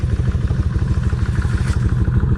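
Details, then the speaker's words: Kawasaki 1600 V-twin idling after sitting a month and a half, running again after spark plugs were cleaned: lumpy, loping idle with a light, even tick on each beat, owner glad to hear it; steady and healthy. "Miss time x she's back ticking again and uh I'm real happy to hear that tick"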